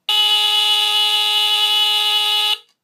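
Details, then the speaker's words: 1977 Sears Early One 350.57046 smoke detector (Fyrnetics F-900D, Kobishi CLB-27 mechanical brass squealer horn) on test-button test: loud, continuous, very low-pitched raspy horn tone for about 2.5 seconds, then clean cutoff; normal. "as you can hear it's very low pitched this is actually I think the lowest pitched alarm I own it definitely sounds it's definitely the scariest sounding Kobi she brass Squealer I've ever heard"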